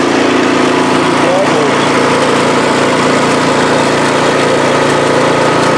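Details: MTD snowblower after swapping in the engine from a second junk machine (original engine had no compression), primed and pull-started, cover not yet on: steady, even idle putter with no stumbling, knocking or surging; sounds healthy.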